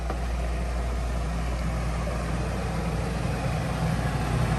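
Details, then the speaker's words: Coleman Mach 3 NDQ roof A/C in a Winnebago Travato 59GL in cool mode: a constant low droning hum and steady fan rush with no rattles; fan noise similar to the Truma, but compressor vibration noticeably louder; normal running. "So I am going to say that the fan wind noise is about the same, but the compressor vibration and hearing it work is quite a bit louder on this model than the Truma."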